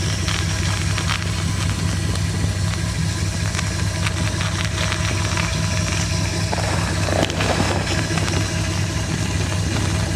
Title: bad water pump